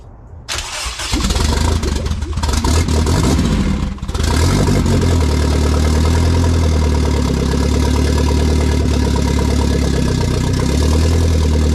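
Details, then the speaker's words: K20 turbo RHD Honda Civic wagon, first start on a startup base map with no radiator fitted, push-button starter, in neutral on a cold day: catches and runs choppy with an uneven beat, then settles into a steady idle; rough first start. "you might have noticed that it was a little choppy on the first start and after holding the idle for a little bit the car started like catching itself"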